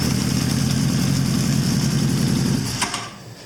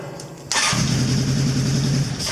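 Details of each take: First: 1983 Honda CB1000 C Custom started by jumping the starter terminals after a no-start that is blamed on a starter relay not clicking. It idles with a steady, lumpy low throb, then shuts off. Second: 1983 Honda CB1000 C Custom with intermittent no-start, lights and power present; owner suspects the battery though it was charged: silence, then the engine suddenly catches into a lumpy steady idle.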